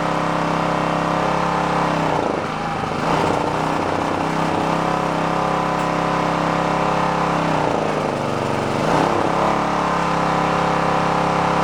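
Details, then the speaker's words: Onan K450 portable generator, yard-sale unit that sat a long time, warming after choke start while air-fuel mixture at the back is adjusted: steady drone with a couple of speed dips and surges, still hunting slightly. "it seems I ran playing with the air fuel mix on the back is what's going on right now"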